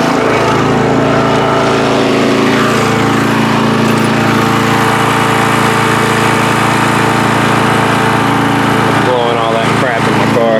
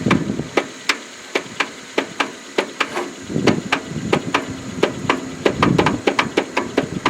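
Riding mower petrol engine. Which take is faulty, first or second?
second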